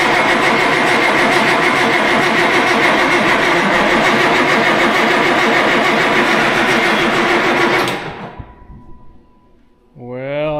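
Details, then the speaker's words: Farm diesel during turbo and injector replacement, air in fuel system, fuel at injection pump but injector lines can't be cracked to bleed: long steady cranking about four turns a second that never catches; no-start from air in fuel system. "οπότε θα χρειαστεί λίγος χρόνος για να ανατραπεί και τελικά θα χτυπήσει τελικά"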